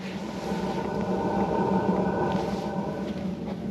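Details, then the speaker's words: BougeRV 12 V diesel heater starting after a night in a roughly 56°F garage: glow electrode on, fuel pump priming slowly, then a soft roar builds under the fan hum as the burner lights normally. "Fuel pump's starting up. You can hear it there. It's almost like it primes cuz it runs kind of slow. Okay, I'm starting to hear a little roar."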